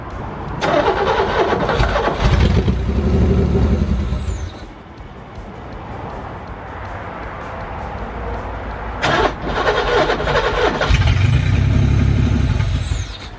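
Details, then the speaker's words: 1985 Pontiac Fiero kit car, Ferrari Testarossa replica, abandoned 15 years; vacuum leaks fixed, muffler and clogged cat removed, new ground straps fitted: cranks, catches, runs a few seconds and dies, twice. Still won't keep idling. "I don't know. Well, I tried. Just idles and stalls out."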